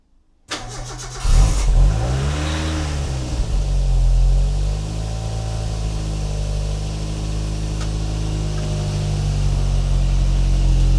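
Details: Superdub project car restarting after it died: fuel pump found dead and now working; engine cranks briefly, catches, revs rise and fall, then settles to steady even idle; normal start and running.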